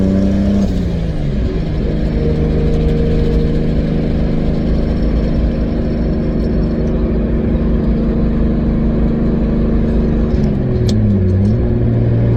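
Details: 2003 Nissan 350Z with 2JZ swap, cruising about 55 mph in fourth gear after a misfire fix: steady, even drone at constant speed with no stumbles or random misses where misfires used to occur; pulls smoothly, normal cruise.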